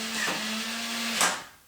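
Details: Nuki Smart Lock 2.0: a steady electric motor whir runs about one second, then stops cleanly. The lock is throwing its bolt normally.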